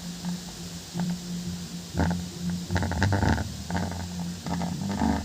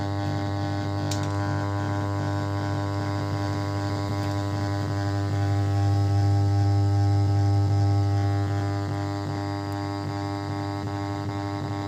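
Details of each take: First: Home theater 5.1 subwoofer after fix for humming at power-on: capacitor (25V, 1000µF suggested) added on the plus wire to the subwoofer; deep bass thumps in uneven bursts with no strong constant hum drone. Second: 5.1 home theater subwoofer hums with a steady low buzz right after power-on, easing somewhat after a while but never stopping; reduced by adding a capacitor on the subwoofer supply.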